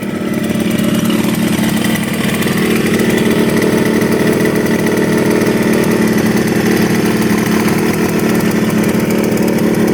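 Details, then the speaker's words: 1975 Yamaha RD200 two-stroke twin, first start after 20+ years in a barn: steady, even buzz at about 2000 rpm idle, no misses or surging; clean, healthy idle, only a slightly leaking petcock noted. "idling right at two 2 000 RPMs wow sounds amazing first start idles perfectly"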